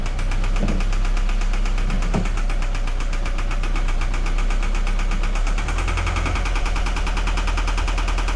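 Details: 2013 Scion FR-S at idle, customer complaint of knocking: uneven knock about two to three a second over the engine; inspection found a cylinder 4 misfire and a teardown was advised, internal damage suspected.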